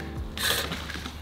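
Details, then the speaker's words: Residential reel mower tipped back on a crate, reel hand-turned before backlapping; harsh scraping rasp on each blade pass, heavy contact, reel set too tight against the bedknife, which had been tearing grass blades and leaving a white cast. "But yeah, let me just show you, this is not, you hear how this is, that's pretty tight. So you can hear quite a bit of contact."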